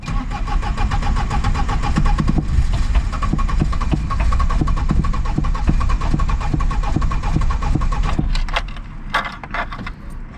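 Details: Polonez, sat since August and won't start, glow plugs heated before cranking, fuel not being drawn: starter churns at about four compressions a second for eight seconds, but it never catches.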